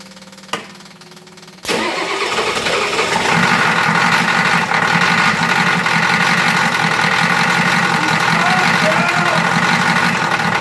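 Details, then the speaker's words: 1986 Ford F250 Bullnose diesel after electric fuel pump install, alternator and vacuum pump removed: cranks briefly after lots of glow plug and fuel filter bleeding, catches and settles to a steady even idle clatter, no more spitting; normal idle. "There we go, she stopped spitin'. So Battle, she just needed a lot of glow plug. Needed to bleed the fuel filter, but she started."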